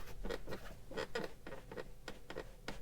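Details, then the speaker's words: Tesla Model Y Long Range at 15,000 km, quiet cabin: dry irregular creaks and ticks a few times a second from the door; owner feels it comes from inside the door, may try silicone spray on the seal, not convinced. "Alors c'est variable, c'est vrai que c'est un peu énervant, peut-être qu'en mettant une sorte de protection silicone en spray sur le joint, ça va peut-être améliorer, on va voir, je ne suis pas convaincu parce que j'ai vraiment l'impression que ça vient de l'intérieur de la porte ici"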